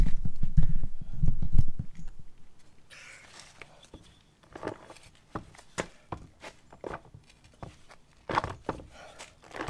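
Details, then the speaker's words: Transfer case removed, shaft turned by hand after rebuild with a new chain from a kit; U-joints and front shafts are new and fine. Irregular clunks and knocks: chain installed incorrectly, not meshing cleanly with the drive gear. "so that's the sound of the chain something's going on in there everything else checked out fine U-joints front shafts are brand new nothing was going on there so I think there's something going on with the chain"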